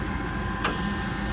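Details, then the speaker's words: Gas furnace with no pilot, whose hot surface igniter should glow red but doesn't. The gas valve clicks open over a steady blower hum and releases gas, but there are no blue flames, so the flame sensor shuts it off. "it's releasing gas but you see it's not igniting you don't see any blue flames do you now it kicked off because the safety just kicked it off safety the flame sensor just kicked it off since it did not detect the flame"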